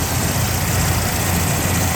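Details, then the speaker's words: 1979 Jeep Cherokee Chief after a frame-off restoration, with a rebuilt AMC 360 V8 on Holley 2300 EFI: it starts right up and holds a steady, even low rumble at idle with no knocks, misses or surging; runs smooth and strong. "Runs very smooth. Runs good. It's strong."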